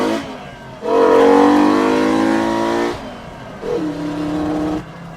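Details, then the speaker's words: Five-cylinder-swapped Mk2 VW GTI after refuelling, hard acceleration; revs climb, then the pull drops out and stumbles before catching again. Owner suspects the fuel pump has fallen out again; plans to pull the pump. "and it broke up I'm thinking the breaking up issue has something to do with the fuel pump falling out again"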